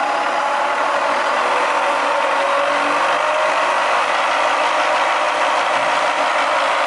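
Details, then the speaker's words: Bridgeport milling machine Vari-Speed head after servicing and reassembly, speed rising as the dial increases: smooth, even whir with no knocks or grinding, much quieter than before; head sounds healthy. "increases see here that it's a lot quiety than before certainly so this is how the head should sound once it's been serviced nice and quiet"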